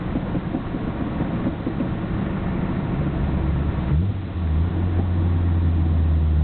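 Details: Nissan Skyline GT-R BNR34, stock Getrag manual gearbox with Nismo clutch, recorded windows open: low, loose gearbox clatter at idle and pulling away. It is abnormally loud, especially in 1st and 6th. Shifting is normal; unchanged after oil change; overhaul considered.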